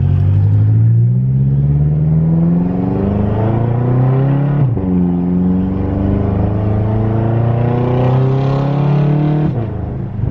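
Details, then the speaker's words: BMW F10 M5 V8 after a wastegate rattle fix, downshifting and decelerating; clean rising burble with no rattle when lifting off the gas; normal exhaust note. "Yeah, even downshifting here next to like a little sidewalk, I can't hear anything at all. Yeah, it sounds super nice."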